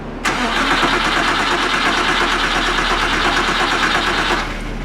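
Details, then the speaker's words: Porsche 911 with the fuel pump relay pulled after an engine removal and repair, cranking without firing to build oil pressure: a steady, even starter churn about three beats a second, a normal healthy crank. "Do it again. That sounds like a normal engine turning over. All right. So, now we cranked the engine over. It sounds fine."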